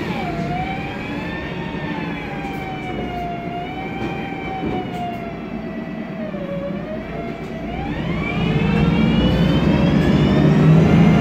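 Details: MAN Lion's Classic CNG city bus, MAN E2876 LUH03 EEV turbo engine, Voith DIWA 864.3 four-speed automatic: loud siren-like whine rising and falling with road speed over the engine; noisy Voith gearbox.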